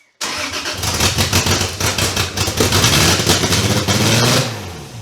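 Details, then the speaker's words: Toyota 2JZ in a Datsun, first start in 10 years after VVTi gear rebuild; catches after short crank and shoots straight to about 3100 rpm, high uneven idle; owner suspects a vacuum leak at intake vacuum fittings. "anyway so far in the startups I don't know if you've heard it so far but uh it pretty much revs to the Moon not really to the moon but it does go up to like 3100 RPM immediately so therefore we think vacuum leak"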